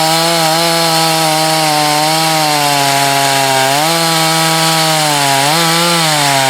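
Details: Husqvarna chainsaw test cuts in firewood (51 salvage saw tested alongside a 254 and a 562, the 562 heat-soaked, then hot starts): clean high-revving buzz holding pitch in the cut, short sag when bogged and quick recovery; healthy.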